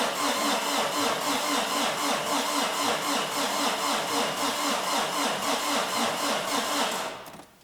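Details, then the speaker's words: Peugeot 205 diesel (Nomad'raid 2024 car), cranked on the starter with the pump electrovalve disconnected: steady even compression beats, turns freely without binding; cranking noise sounds fairly correct. "il tourne il a pas bloqué déjà et le bruit il est plutôt correct"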